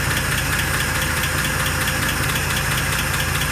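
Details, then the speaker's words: 1948 Pontiac Torpedo after restoration, idle risen to about 570 rpm: steady, even low rumble with no stumble or miss, so the idle is normal and smooth. "it has bumped up to like 570 accounting and started running good i mean that's just about as smooth as you could ask for"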